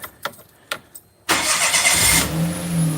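The starter catches in about a second and the engine settles straight into a smooth, even idle with no stumble or miss; healthy start.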